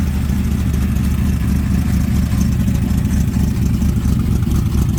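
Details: 1996 ERA 1965 Cobra replica, rebuilt big-block V8 with new Holley vacuum-secondary carb, distributor, ceramic-coated side pipes; deep loud rumble held steady and strong, no knocks or rattles; normal healthy revving.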